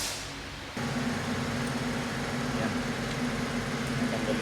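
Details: Mercedes-Benz CLA 45 AMG turbo engine idling unevenly with a lumpy, stumbling beat under the turbo drone; cylinder 4 misfire, with water reaching piston 4.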